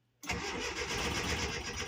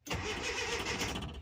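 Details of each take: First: 1981 Datsun 720 in neutral with a new starter and positive battery cable, before both coils were replaced: brisk cranking at about four beats a second, slightly uneven. A touch lopey cranking; the gauge also reads no oil pressure. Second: 1981 Datsun 720 after a new starter, positive battery cable and both coils were fitted: strong, even cranking whir that catches quickly, running a touch lopey; normal cranking.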